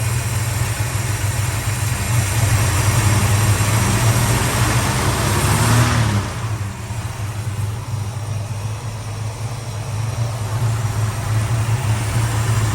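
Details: Valiant Charger VH engine restarted after sitting about a month: steady, low warm idle hum with one brief dip and recovery; it idles evenly but still blows smoke when hot.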